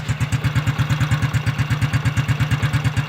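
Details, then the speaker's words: Freshly rebuilt Honda Biz C100 engine with new exhaust, idling on a rainy day: even, quick thumping about eight beats per second with a faint extra noise on top that the owner is not happy with; cause unknown. "aunque no me convence mucho como suena hace un poquito de ruido"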